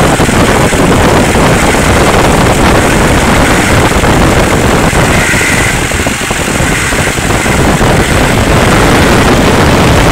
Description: Description: 05 Duramax LLY, intermittent humming/buzzing sound. sounds like its coming from the front of the engine.